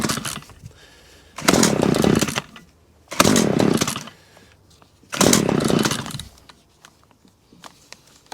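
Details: Stihl KM94RC hedge trimmer attachment, blades previously not turning, test-run after gearbox gear replacement and full service (new air filter, spark plug): three sharp throttle blips rising to a high buzzing rev, dropping back to quiet idle; runs normally.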